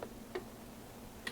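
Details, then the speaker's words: 2003 GMC Yukon 6.0L with code P0446 and the check engine light on: the EVAP vent solenoid under the truck, commanded via a scan tool, gives three crisp, separate clicks as the PID toggles venting and not venting. It is switching normally. "there's a clicking sound I I hope you can hear that and our PID is changing now it's venting now it's not venting venting"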